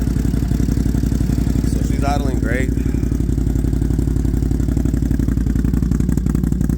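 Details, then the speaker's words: Engine idling evenly after new spark plugs and idle air control (bypass) valve installed; starts first try, steady idle pulse with no ticking inside the airbox, no longer firing on one cylinder. "fir is up on the first try no ticking inside the airbox I'm super super happy man"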